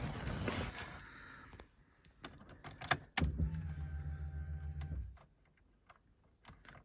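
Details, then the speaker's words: MG ZS 1.6, unstarted for several months, on a jump pack with fresh petrol, ignition on: a steady low electric whir runs about two seconds and then stops; the fuel pump priming normally. "I can hear the fuel pump priming up so that's a good start"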